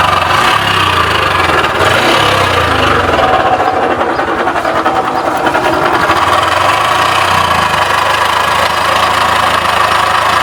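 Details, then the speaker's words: Honda Wave 110i idling with a steady, droning howl over the engine beat; first suspected crankshaft bearing, but the worn camshaft bearing in the head was found to be the cause when spun by hand. "สำหรับลูกปืนแคมนะครับอ่านี่ก็คือตัวต้นเหตุนะครับที่เราคิดว่านะครับน่าจะจบงานที่ลูกปืนแคมนะครับ"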